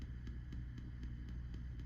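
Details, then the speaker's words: 1965 Fender Deluxe (non-reverb) amp before de-ticking fix; faint evenly spaced ticks about four per second over low hum from tremolo circuit bleeding through, cured by adding a 10 µF capacitor; tremolo ticking. "So, we're going to do a little d ticking of the tremolo roach."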